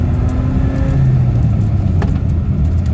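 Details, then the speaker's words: 1991 BMW E30 four-cylinder, two-door manual, rear-wheel drive, under acceleration: clean, strong engine note with a steady low drone and no knocks or misses; healthy motor that pulls to about 6,400 rpm and can spin the tires on a dirt road. "again you can hear that this motor is nice and healthy it'll spin the tires a little bit on a dirt road"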